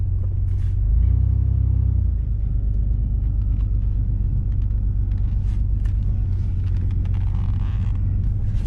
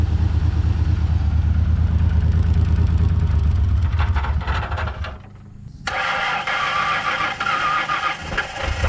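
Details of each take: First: 1999 Ford Ranger after clearing the air box, where animals had left shredded paper: brief blip, then a low, steady, even idle with no stumble or hunting. Runs better now that the clog is cleared; normal idle. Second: 1999 Ford Ranger first started after long storage, smelling of old gas and low on fuel: engine catches, then runs with an uneven, lumpy beat that dips and surges before settling. Rough running; owner feels it needs Seafoam, cause unconfirmed.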